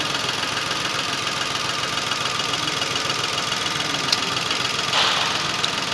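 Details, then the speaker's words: Datsun Go 3-cylinder engine misfiring at idle, tested by unplugging each coil connector: lumpy idle with uneven tick and stumble three or four times a second; one cylinder is dead and not firing. "कोई फ़र्क नहीं पड़ा, इसको निकाल दिया, कोई फ़र्क नहीं पड़ा। ठीक है, अब निकालता हूँ इसे। ये देखो, यानी ये सिलेंडर काम कर रहा है।"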